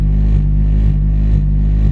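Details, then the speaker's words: Honda with Mugen, rough hunting raised idle surging and sagging about twice a second, owner hears air leaking somewhere; vacuum leak causing high hunting idle. "see i can hear air leaking somewhere so we're gonna asses this uh probably when we get to the shop um so i'll see you at the shop in a few so as you can tell it's going crazy"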